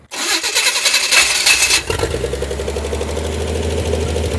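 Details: Abandoned 1968 Chevy Impala four-door, long sat, after turning worn idle adjustment screw: catches quickly into a fast, uneven idle about three and a half pulses a second that never drops; high idle, owner suspects carburetor or missing vacuum line.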